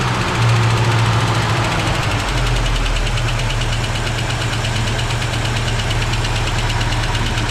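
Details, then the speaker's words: Barn-find 1965 Ford Mustang V8, just revived, starting with little fuel: steady idle with a light, quick ticking keeping pace with the engine; a noisy lifter, no real smoke. "a little bit of lifter going not really any smoke"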